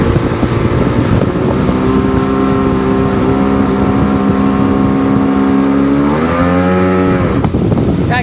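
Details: Sea-Doo GTX DI on water run after bad air injector replaced, water temp 52–58°: flat steady full-throttle drone with no further climb, then pitch drops easing off; tach shows only 6,200 rpm, cause unresolved.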